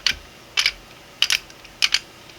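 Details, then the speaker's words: 3D-printed single-print 1/2-inch quick-release reversible ratchet turned counterclockwise: crisp light clicks in short bursts about twice a second as the pawl catches. It works normally and locks in the opposite direction. "Now we're going to turn counterclockwise. You can hear it turning, clicking."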